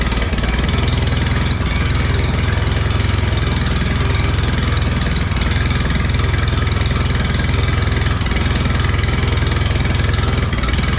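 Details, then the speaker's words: Allis Chalmers B tractor gas engine, running after a long repair, with oil pressure. A steady, even low thump at about three and a half beats a second with no misses or knocks. Normal idle; the motor is finally running. "all right a couple more little things to do but we got the motor running and that is a big one"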